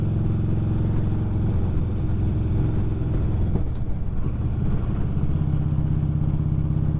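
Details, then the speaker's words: Deep, loud, lumpy, raspy V-twin exhaust from a 2011 Harley Road Glide CVO with partially gutted exhaust; owner suspects the catalytic converter still fitted makes it sound off, and plans baffles. Cause not confirmed. "It's still got the cat in there. I'm wondering if that's not why it sounds so funky."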